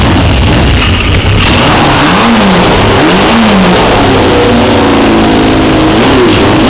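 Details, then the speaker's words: 1973 CB500 motorcycle during a build, running off the choke; revs rise and sag unevenly and the engine stumbles and cuts out. The carburettor is found nearly empty, so the cause is lack of fuel and the bike is running out of gas. "But we're not getting hardly any fuel in here. So I think that's the problem. It's just lack of fuel."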